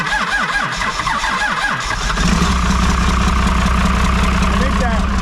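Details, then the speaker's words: 1995 Ford F-150 being fitted with 2005 axles: the starter chugs unevenly for about two seconds, then the engine catches and roars to a rough idle. A slow, hesitant start; the owner suspects a weak or slightly sticking starter solenoid. "the solenoid is just a little weak. Oh. Probably a little stuck side."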